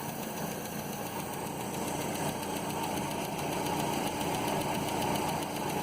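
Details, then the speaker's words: 1967 Land Rover Series 2a 109 first running after cylinder head rebuild and install; steady idle with a light tick about three to four times a second. One valve's clearance is not quite within tolerance, with some oil seepage noted. Valve tick. "there's one valve I can hear that's not quite within tolerance"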